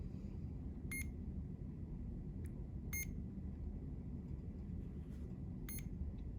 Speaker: We're first gonna turn on the pump by holding the on-off button for 3 to 5 seconds. You'll hear 3 beeps.